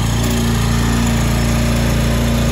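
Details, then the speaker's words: Toro Timemaster 30" mower, first start after five to six months of sitting and before its tune-up (carb clean, plug, filters). Steady, even single-cylinder drone with no misses, surges, knocks or smoke. Normal running. "no smoke or anything dude which is good sounds pretty good considering it's been sitting for five months five six months"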